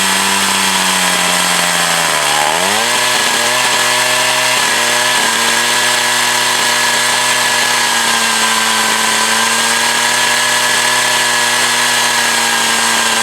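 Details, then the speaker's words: Echo CS 4500 chainsaw, long stored, carb rebuilt. Loud drone drops in pitch around two seconds and stays lower and labored: bogging under load; owner looks to readjust the high/low screws. "right ah the chainsaw is bugging down"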